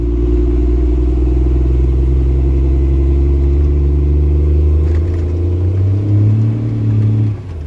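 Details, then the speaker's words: Second-gen Cummins diesel truck with stock transmission under casual acceleration: deep drone pulls steadily, pitch drops and firms as the torque converter locks fully, then rises with speed; normal lockup with good torque. "I will say that for a stock transmission truck this thing's got some umph once that converter locks she good"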